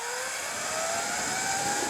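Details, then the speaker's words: Sur Ron with Luna Cycle 219 primary chain kit, after re-shimming the front sprocket, under hard acceleration: smooth motor whine climbing in pitch, no chain slap or grinding; drive sounds quiet and healthy. "yes yes that is the way it's supposed to sound so i think either shimming it lubing it or tensioning it properly is the right thing to do"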